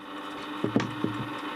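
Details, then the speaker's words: Warburton Franki WF 2 E timeswitch after cleaning, its motor running continuously to drive the mechanism. A steady low hum with sharp irregular ticks; it is not seized but sounds dry, and the owner suspects it needs greasing. Noisy mechanism. "it's not seized but it might need a bit of a greasing it just sounds dry"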